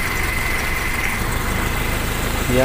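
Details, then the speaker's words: Toyota Kijang Super engine that shook and ran roughly despite a cleaned carburetor and new spark plugs; CDI suspected but found not to be the cause. After the fix, an even, steady, smooth idle with no stumble; the sound is different. "Alhamdulillah suaranya beda"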